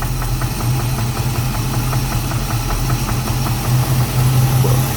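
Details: 1988 Chevy Caprice, 350 engine with 650 cfm Holley carburetor, transmission only has 1st gear; at low idle a light regular tapping knock felt through valve cover; torque converter bolts checked intact, cause unconfirmed.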